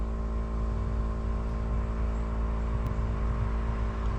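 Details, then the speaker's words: 7.3 Power Stroke diesel after fuel filter change, key cycled with engine off: steady electric pump hum with fuel gurgling as air purges back to the tank, quieting once primed; normal fuel pump priming. "You can hear some fuel gurgling. That's what you want to hear. All the air being purged out back to the tank. And then you'll know you have a good prime when it starts to quiet down in the pump."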